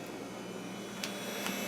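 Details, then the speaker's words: Compaq Deskpro 590 from the scrapyard, 32 MB, at first boot: steady whir and hum with a couple of sharp seek clicks about half a second apart; sounds unhealthy but typical of older drives, normal seek noise. "but that's about what they sounded like. I forgot about that. A lot of the older drives just sounded bad."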